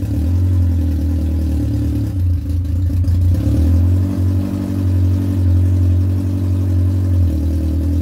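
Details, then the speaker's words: Yamaha R1 after engine knocking repair: even, deep engine drone with smooth rev blips and no knocking or clatter; the noise is gone and the engine runs normally. "wala ng ingay hanip"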